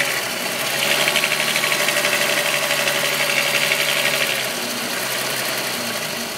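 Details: VW Golf VR6 2.9, 103,000 km, steady idle: fast, light metallic rattle about four ticks a second, like chain slap or rub at the engine front. Grew louder after the upper hydraulic tensioner screw was replaced; unconfirmed.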